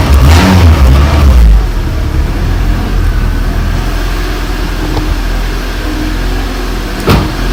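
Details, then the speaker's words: EM1 four-cylinder, first start after engine installation, running open loop with no check engine light: after a brief rev it drops to a steady, smooth idle around four beats a second, no knocks or misfires; normal idle. "it should be idling up right now to get it into closed loop, and it's idling like at a your normal like idle, but it sounds like it's coming up right now"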